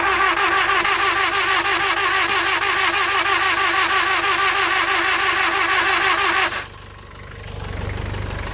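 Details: 2002 Nissan X-Trail 2.0 petrol: even starter churn about three beats a second for six seconds, never fires; fuel pump works, fuel sprays from plug holes, coils and spark fine, battery shows green; cranks but won't start.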